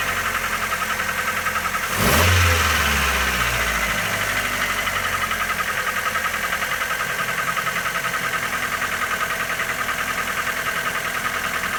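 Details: Mitsubishi Lancer 9, 1.6 with automatic transmission, idling steadily with a regular light tapping about three and a half per second over the engine hum; engine knock, cause not known.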